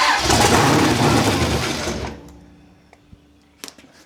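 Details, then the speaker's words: Big block Chevy V8 in a Holden HQ Summernats build after fitting valve covers with neoprene gaskets; catches at once, strong even beat about two seconds, shuts off cleanly, great oil pressure. Normal start-up. "Well, sounds good. Fucking good enough for me."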